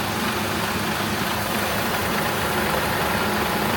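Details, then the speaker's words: Renault Espace IV 2.0T after engine failure repair, refilled with fluids and oil, warming up with radiator fan running and thermostats open: steady even idle under loud fan rush, faint light tapping; working as it should. "Nie wiem czy słychać czy nie słychać, no ale najważniejsze, że to wszystko nam działa tak jak należy."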